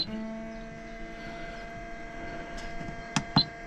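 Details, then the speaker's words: Motorhome fresh-water pump switched on: steady electric hum that keeps running and doesn't cut out; owners plan to adjust the pressure switch. "and it doesn't stop. Yeah. So, bit of an issue."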